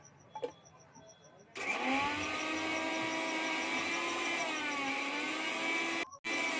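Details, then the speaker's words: Mixer grinder making a khir-khir noise and leaking from the jar: quiet beeping then rough rasping whir wavering in pitch; fault in the jar not the motor, its bush worn through, causing leakage and water entering the machine. "इसमें समस्या ये हो रहा है कि जब machine आप चला रहे हैं तो उसमें से खिर खिर की आवाज़ आ रही है और साथ में लीकेज भी हो रहा है कटोरी से।"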